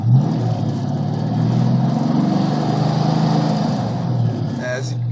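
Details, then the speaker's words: 1988 Ford Mustang GT 5.0 speed density with GT40P heads and MSD ignition, cold start around 55–60°F, idles unevenly, missing and surging after a rev, nearly dying; random misfire persists after new wires, cap, rotor, plugs, coil and TFI module. "Look at it jumps and it just keeps missing like that. And the RPMs jump. And sometimes it'll go to the point where it almost dies."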